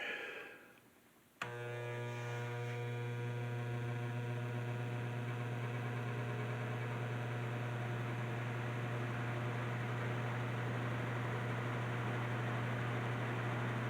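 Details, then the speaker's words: 1950s Federal Electric three-speed hassock fan: steady low electrical motor hum at constant pitch with faint buzzing overtones; owner unsure if normal, some say it is, restoration planned. "The fan does work very well, actually. However, it has a hum to it, and not exactly sure if that's normal or not."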